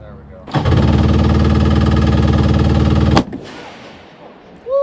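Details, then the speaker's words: Two-stroke stand-up machine backfiring on start: harsh rapid crackling, about four pops a second for under three seconds, then cuts out; owners suspect timing firing wrong, CDI wiring being swapped around; cause unconfirmed. "sorry guys timing so it's like it's it's firing in the wrong spot or what uh that lady was not happy she was staying right behind it no that was that was a good post detonation for sure"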